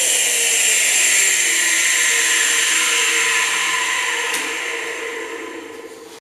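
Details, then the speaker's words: Emerson 2.5 hp, 1.0 service factor motor rebuilt from junk parts with a used rotor, running on high speed: smooth, even high-pitched hum, then a clean wind-down at switch-off; runs normally, though the replacement front bearing sounded rough earlier. "runs on high speed. These do sometimes torque a lot on high speed. I'm just going to hold it. Wow. Don't sound bad at all."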